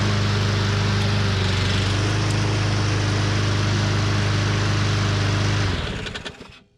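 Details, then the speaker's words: Husqvarna AWD mower, Briggs & Stratton 625EX, pulled from landfill, running on a splash of gas before tune-up: smooth, even steady speed, no misses or knocks, then clean shutdown; normal running. "You guys heard it run. I mean, it sounds good."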